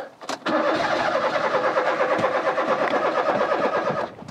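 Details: Rover 216 Cabrio convertible cranks with a steady starter whirr and fast even pulses for about three and a half seconds but never catches; fuel gauge not moving after refuelling.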